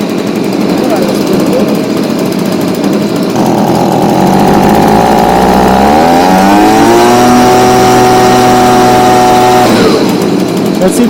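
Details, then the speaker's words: Stihl BG55 blower that wouldn't start, after fitting a new C1Q-S68G carburetor to replace the old one with a torn diaphragm: it buzzes at idle, then revs cleanly to a steady high whine and drops back, running strong. "get some more power nope it's pretty good right"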